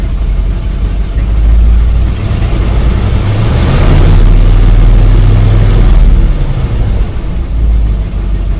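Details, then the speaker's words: Engine ice cold, idling steadily around 850 rpm with no choke after a carb clean-out with starting fluid left to soak five hours; smooth even rumble, no misses or knocks, normal cold idle. "engine's ice cold it's idling around 850 no choke"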